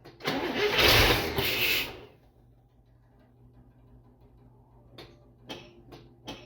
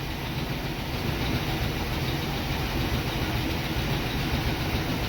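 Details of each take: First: International Scout, first run in about 13 years after new spark plug wires, started on starter fluid: brief cranking and firing, then drops to near silence with clicks as starter kicks out; owner suspects loose or melted starter wire. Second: International Scout after about 13 years sitting, new plug wires, not yet up to temperature: settles into an even, steady idle with no misses, knocks or pops, sounding healthy.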